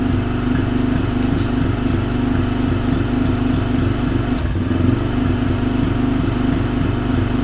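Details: Motorcycle with cable-operated choke, fired up after checks: even, steady putter about three and a half beats a second, holding idle without choke; engine running cleanly, normal idle.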